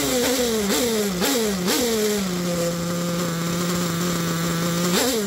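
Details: Picco P3T DLC nitro engine with about 10 gallons through it, new bearings and conrod, crank wear, sleeve damaged by homemade reaming, and block damage. It blips sharply, then holds a high, buzzy idle that isn't clean. Rough idle, though temperature is good.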